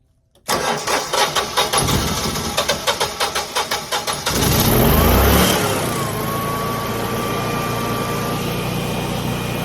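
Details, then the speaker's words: Generac generator with an aging battery and flashing red indicator lights: starter drags the engine over in slow, labored pulses before firing; slow cranking blamed on a weak battery. "I heard the generator try to start and it was spinning real slow it stopped and tried to start again"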